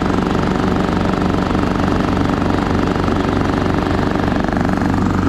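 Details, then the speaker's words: Craftsman T1200 riding mower, single-cylinder engine steady chug about three and a half beats a second with uneven lumpy edge; runs, drives and cuts but rough from suspected tight valve clearance; valve adjustment planned. "I think I'm gonna go ahead and start looking up the specs on this maybe we'll pop this valve cover off try to do a valve adjustment on it"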